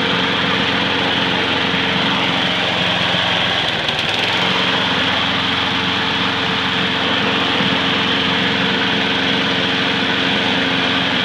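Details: Salvaged mower's small single-cylinder engine, after freeing a stuck carburetor needle and cleanup: holds one steady high speed, smooth and even with no misses or surging. Runs normally.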